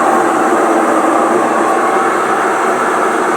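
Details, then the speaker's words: Electrolux LT9 top-load washing machine running with a bearing problem: loud, steady roaring rumble typical of worn drum bearings. "Tô com uma Electrolux LT9, problema de rolamento. Olha a barulheira que ela faz."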